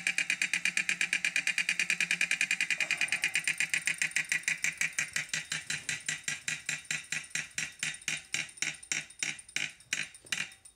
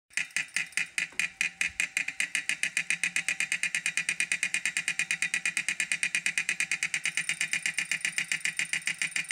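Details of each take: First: 2018 Wahoo Kickr trainer after repair with replacement parts (before the repair it loosened and knocked): crisp, even freewheel ticks slowing steadily as the flywheel coasts down, with no knocking. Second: 2018 Wahoo Kickr trainer before repair: sharp, steady clicks about five a second over a high flywheel whir, a loose part that kept loosening after 35–40 minutes and knocking; fixed with replacement parts.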